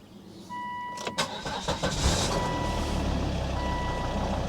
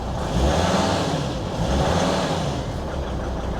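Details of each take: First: 2003 Volvo XC90 D5 diesel after fitting a new engine mount to cure idle vibration: cranks, catches after about two seconds, dash chime beeping, settles to steady even idle; feels fairly normal, though later chugs intermittently. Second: 2003 Volvo XC90 D5 diesel after new engine mounts were fitted: idle intermittently chugs and surges unevenly instead of holding steady, returning to normal when something is knocked off; cause not yet explained.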